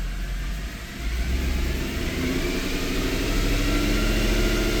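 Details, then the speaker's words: Mercedes E63 AMG from a cold start with a second wire harness plugged in: revs rise from idle but the note stays choppy and uneven with a loping stumble; the bank-one misfire persists, so the harness was not the cause. "There we go. Exact same thing."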